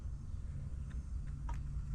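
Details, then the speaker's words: Rheem gas water heater in attic just after burner assembly replacement, gas on low: soft, steady low roar with no popping or sputter; burner lit and burning cleanly, though heater later failed again. "when you come into your attic or go by your hot water heater you should hear that sound that means that it's burning"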